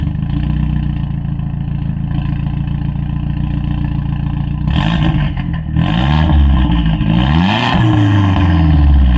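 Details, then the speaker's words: Audi S3, hot engine with warm oil: lumpy, uneven idle with irregular stumbles and rough throttle blips, slight turbo whistle; misfires from a leak, owner suspects leaking aluminium injector wells. "Et donc là on entend bien les ratés dont je parlais à Ouais. cause de la fuite ossurale."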